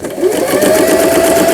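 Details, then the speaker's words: Singer 8280 sewing machine after repair of broken lower shaft unit gear: smooth, even whirring of the needle drive at steady fast pace, no knocks or binding, through straight, reverse and zigzag stitching; normal sewing. "쭉쭉쭉 나가죠. 4번 너무 넓다 해서 2번 후진 버튼, 그다음에 패턴 다이아를 돌려서 지그잭 바느질, 누빔 바느질, 세발뜨기 바느질."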